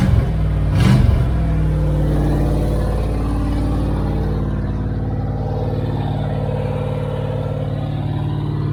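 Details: 1978 Dodge Aspen R/T 360 four-barrel V8 during restoration, at start-up: deep loud rumble with sharp rev blip then lumpy idle, no muffling; straight exhaust cut off at the manifold makes it loud.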